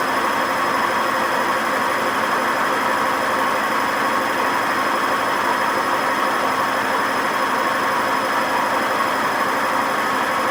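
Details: WMA50 washing machine spinning without ballast: harsh steady roar with hard metallic ring throughout fast spin; very bad drum bearing noise.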